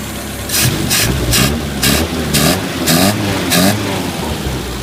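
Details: 1980 Chevy LUV after clearing a plugged carburetor jet, likely idle circuit, that prevented idling: steady low idle holds on its own with rain hitting in bursts; normal idle.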